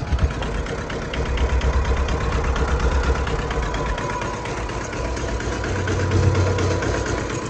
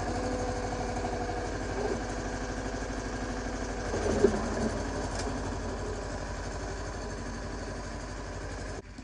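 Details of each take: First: Yanmar 1500D diesel tractor idling, three-point hitch trying but failing to lift: thin steady whine from the hydraulic pump cavitating as if drawing air, though hydraulic fluid level was full. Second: Yanmar 1500D diesel tractor with blade on three-point hitch, after fixing backwards-installed hydraulic filter and replacing o-rings: steady even idle with brief load swell as the lift cycles smoothly, no cavitation whine or chatter.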